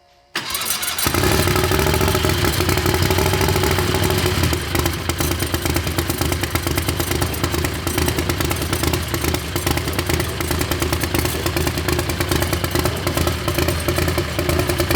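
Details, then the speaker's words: Predator 670 V-twin drag rail, methanol-burning but fired on gasoline after fitting a bigger turbo. It starts instantly and settles into a loud, even lope with no misfires or knocks. It has oil pressure and sounds healthy. "that sounds good we got oil pressure"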